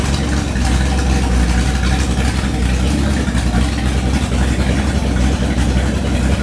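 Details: Freshly rebuilt 1970 340 V8, .030 over, 10.2:1 pistons, Comp cam 525 lift 289 duration, Edelbrock LD 340 intake, J heads with 2.02/1.60 valves: deep, steady burbling idle, even firing, no ticking, knocking or stumbling; healthy.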